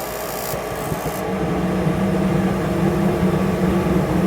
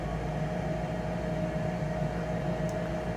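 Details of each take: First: Rheem/Ruud gas forced-air furnace that had Error 57, with the original pressure switch refitted after sealing cracks in the inducer fan housing: inducer hum builds steadily into an even drone with no rattles; furnace lights and runs normally. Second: Rheem/Ruud gas forced-air furnace showing Error 57, thermostat calling for heat: inducer fan runs with a steady constant hum for a while but no burner whoosh follows; burners never light.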